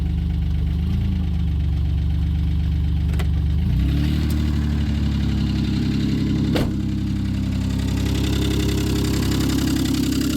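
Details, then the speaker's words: 1995 Plymouth Voyager 3.0 V6, running rough with heavy blow-by: the engine note drops as it goes into gear, with a dull irregular knock underneath, loudest in gear; rod knock suspected. "It just doesn't sound right. I don't know. I mean, it's gotta be rod knock. You can hear it when it's in gear like that."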